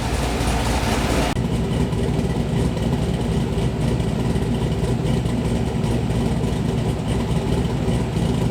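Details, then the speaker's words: LS V8-swapped Mazda Miata with bigger cam, fully warmed up; deep even V8 rumble at low revs, no knocks or misses; normal revving. "she's all warmed up now so i'm gonna give you guys a taste of a little bit of a"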